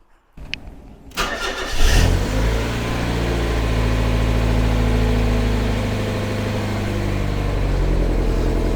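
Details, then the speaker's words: Mazda MX-5 on a cold frosty morning after restoration: engine cranks, catches and settles into a lumpy, uneven idle running on three cylinders; misfire, owner suspects bonding lead, then coil pack. "I'll let you have a listen to it and you'll see exactly what I mean it's really rolling on three"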